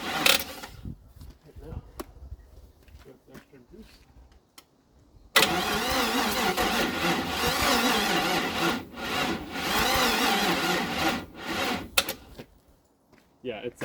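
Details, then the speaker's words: 1956 International R180 truck with junkyard 454 V8, first start attempt: starter cranks steadily but sluggishly for several seconds, never catches; weak battery suspected, small puff of smoke seen; crank, no start. "uh it's not starting with that battery that's for sure I did however just see a little puff of smoke go to that side so that's a good sign"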